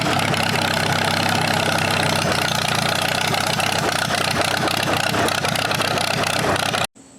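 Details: Circa-1947 Allis-Chalmers B four-cylinder tractor revived after sitting eight years: catches and settles into a steady, even idle with no knocks or stumbles, then shuts off; it still falters under load, with fuel starvation suspected.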